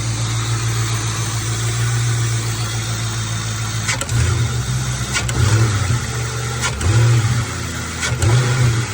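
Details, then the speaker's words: 1996–1998 Mustang GT V8 after installing Dragon Fire coil packs and plug wires, cylinder 4 misfire code P0304 cleared: deep even idle with no stumble, clean throttle blips rising and settling smoothly; idle extremely smooth. "The idle is extremely smooth, as you can hear."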